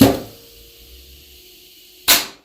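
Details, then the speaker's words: GM 4L60E input drum air test during rebuild: sharp puff of air, then near silence with no steady hiss, then a release burst; forward clutch holds pressure with a real good tight seal, as it should. "Should sound just like that. Real good tight seal. Third clutch will bleed a little bit, but it should be relatively firm and solid."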